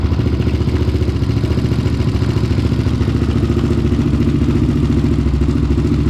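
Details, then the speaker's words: Honda 400EX race quad, first run after a rebuild with a 450 carburetor and a new HMF Competition Series exhaust, recorded on a GoPro: steady single-cylinder thump at fast idle with a deep, even, growly exhaust beat and no knocks or misses. Runs healthy. "Okay guys, well, as you can see, it runs and it sounds pretty dang good."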